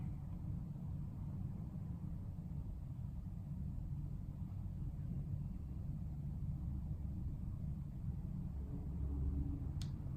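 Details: Fan coil AC in a Dubai tower with new Honeywell T6861 thermostat, after swapping fan-speed wires so low, medium and high match: low, steady hum with no knocks or scraping, even level throughout; fan running normally.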